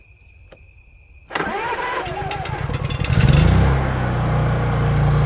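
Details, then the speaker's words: Honda EU3000is generator just after carburetor replacement, fresh gasoline added, run outside: brief crank then it catches almost at once, fastest crank-up seen, settling into a steady, even hum; normal start and idle. "That's the fastest I've seen it crank up."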